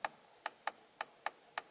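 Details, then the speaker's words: Trans brake solenoid clicking crisply at irregular spacing as stock steering wheel buttons trigger Holley Terminator X staging inputs on a twin-turbo 5.3 LS Ford Ranger; normal operation. "check this out stock steering wheel and you can hear the trans brake solenoid clicking and you can see the light light up and then when I hit the bump button"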